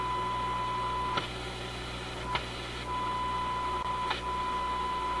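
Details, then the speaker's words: RCA A24 antique vacuum tube radio during alignment: steady high whistle near one kilohertz with brief dropouts and clicks, occurring at the same spot with a capacitor fully closed; IF oscillation squeal. "There we go again. It's that same spot. It's really different now. Did you see that? It's going into oscillation right there."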